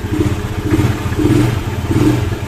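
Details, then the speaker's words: Carbureted Honda Vario scooter that would not start at all, now running normally after the fix and revving cleanly; compression noted as weak and the piston should eventually be replaced. "Tentukan cek nah ini udah hidupnya udah norma udah keadaan hidup"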